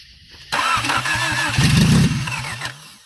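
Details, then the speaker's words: 1991 Honda Civic hatchback EF (ED6), sat about 10 years: fuel pump not working despite trying three main relays. A chugging crank catches and revs briefly on starting fluid, then fades. Suspected failed fuel pump; ignition and distributor are fine. "je sais que ce n'est pas le distributeur ou le système d'allumage parce que je peux obtenir du liquide de démarrage là -dedans"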